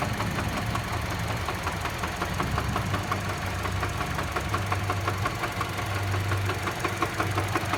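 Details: Mini Cooper engine at idle: a fast, uneven tapping knock at about three per second rides over the engine. The cause is suspected but not confirmed.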